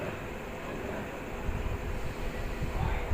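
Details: Panasonic washing machine in for repair of a U12 error and not spinning dry: low, soft churning rumble that gradually swells, no knocking, grinding or squeal; normal wash operation.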